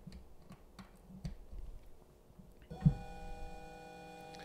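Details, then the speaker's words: DIY 2DOF motion simulator: light ticking then a steady high tone as motor coils vibrate at the Arduino Uno's roughly 490 Hz PWM frequency to the motor drivers, later fixed by moving to an STM32 F4; PWM coil whine. "by default the Arduino sends this signal at around 49 90 HZ so that's really Audible and that's actually the noise that you will hear that it's the coils that are vibrating in that frequency"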